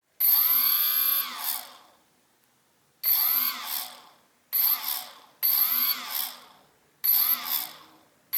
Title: CX-20, one stock motor strange noise when stops